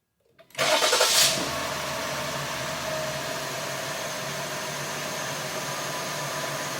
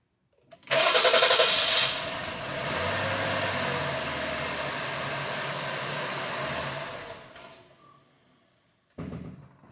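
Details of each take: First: 2020 Jeep Cherokee 3.6 after an engine rebuild, being fixed for P0339 extended crank: a short crank catches cleanly and settles straight into a steady, even idle. It starts better, with no trouble codes stored. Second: 2020 Jeep Grand Cherokee 3.6, P0339 extended crank after another shop's engine rebuild (heads off), scope on crank sensor: starter whirrs briefly, engine catches and runs then sags and stalls; starts better but not perfect; damaged crankshaft trigger tooth.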